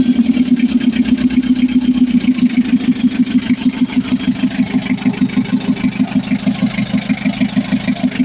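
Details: Mitsubishi L300 FB diesel after a hard-starting fix: a part that stopped supplying diesel was replaced, wiring redone, starter and alternator checked, and a grounded ignition switch addressed. Fires and holds a steady, even chug of about three beats per second. Finding: normal start and idle.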